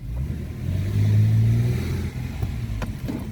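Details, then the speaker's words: 2014 Toyota Sienna after tightening loose top engine torque mount: drive, acceleration, braking and reverse with smooth engine note and no clunk; fixed. "Set on drive. No clanking. Acceleration. No clumping. Brake. No clanking."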